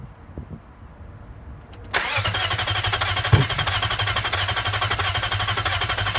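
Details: Nissan VK45DE engine, 2003 unit swapped in for a 2002 one with blown head gasket: starter cranks about four turns a second with an occasional small backfire pop but never starts; fuel pump not heard priming at key-on.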